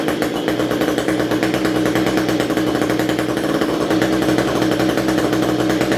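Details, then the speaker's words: String trimmer (two-stroke) that would not start, after coil test and new spark plug: buzzy high-rev drone with ragged, wavering note and uneven firing, running rough; owner suspects the carburetor needs cleaning. "this thing sounds like the carburetor needs cleaned on it"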